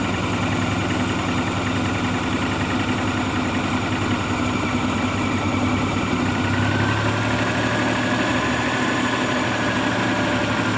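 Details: Maruti Omni idling steadily and evenly with a smooth low rumble, no misses or knocks, after the check light was blinking with a no-start and the old key was reprogrammed; engine sounds healthy and settled.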